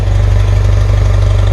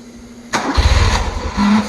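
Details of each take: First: 1977 BMW R100S twin, warm, still on part choke: low, steady thump at idle with a slightly uneven, lumpy beat. The owner feels a small throttle turn could make it die while a large one revs it. Rough idle on half choke. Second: 1977 BMW R100S twin, warm start after being off about 15 minutes: a short crank burst dies, then a second crank catches at once and settles into a steady, slightly lumpy idle that keeps running. Normal warm start.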